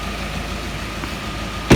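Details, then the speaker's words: Ford Mondeo Mk5 2.0 diesel, engine bay, idling after restart following timing chain and tensioner check; earlier rough running owner suspects injector related. Quiet, steady idle with no chain rattle or slap, one brief thump, then quick rev; normal idle. "But that sounds sweet now. In actual fact, I'll give that a quick rev. Yeah, that is now running as it should be."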